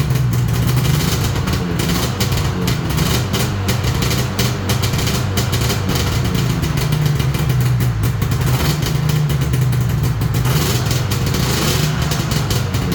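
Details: 1999 Yamaha VMAX 500 two-stroke that sat 19 years since 2006, compression about 120 psi dry, first start on choke; a low burble holds a fairly steady idle with slight unevenness, running on its own.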